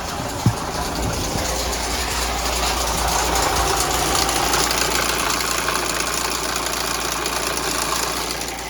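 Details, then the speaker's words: MINI with N47 diesel engine at idle: loud, harsh, steady metallic clattering rattle; suspected failed timing chain guide letting the chain slap, oil pressure warning light coming on after running. "so I'm not going to leave that running for very long. As you see, very noisy, very loud rattle."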